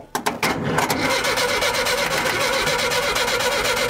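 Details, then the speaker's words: 1975 VW Shorty bus, out of gear, after starter issue fixed: a few clunks then brisk, even cranking held to pump oil up; starter healthy, though a wiring fault still remains to chase. "She's turning over. I'll go ahead and turn it over a little more, let that oil pump up in there."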